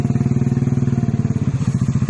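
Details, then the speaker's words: Motorcycle whose starter kept cranking with the key off, relay suspected wet and shorted. After fitting a new starter relay: crisp, evenly spaced exhaust pulses at about fifteen per second with no stumble; normal idle. "Kembali normal bro. Mantap guys, mantap. Dan nggak starter sendiri lagi seperti tadi."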